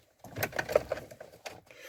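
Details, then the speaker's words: Ford Transit 115 350T RWD van, booster pack connected in the engine bay; quick irregular clicks with no cranking behind them; suspected battery/starter fault, starts instantly when the booster is connected directly to the battery; starter clicking, no crank. "so does it start no same problem"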